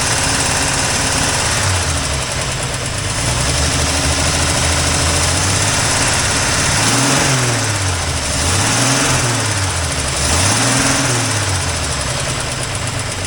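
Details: 1984 Toyota Land Cruiser FJ60 six-cylinder idle after many years stored: rises and falls every second or so over a ragged, uneven beat, with an exhaust leak noted. Rough hunting idle, cause suspected, not confirmed.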